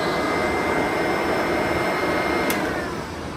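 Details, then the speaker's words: Curb-found Eureka Commercial upright vacuum after a new power cord, new motor fan (the original was grenaded) and new belt; smooth constant full-speed motor whine, no rattle, scraping or bearing growl, healthy. "That sounds really good. I'm definitely happy with this so far."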